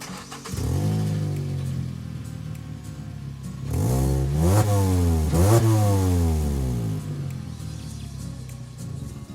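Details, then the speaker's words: Car with exhaust leak from a failed exhaust gasket, before repair with a PETG 3D-printed gasket: start and revving blips with raspy chuffing edge; sounds really bad. "all right so as you can see it sounds really bad so now we're gonna try and fix it with the 3d printed gasket"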